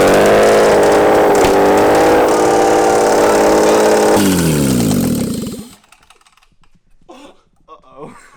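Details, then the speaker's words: Toyota 2JZ engine out of a Lexus, run outside the car: revs hard then winds down and cuts off, rough hammering rattle over the roar; rod knock from worn rod bearings. "I think we over polished the bearing. You think it's broken in or?"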